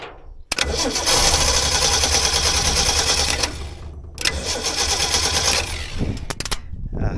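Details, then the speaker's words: 1964 Ford Ranchero, points ignition with condenser, coil refitted after sitting: engine fires, runs unevenly about three seconds, stumbles, briefly picks up, then dies, seemingly fuel-starved (owner says it needs fuel); starts briefly then stalls. "oh that is good good sound W yeah sounds like it's going to work let me see if I can make it run longer I need fuel"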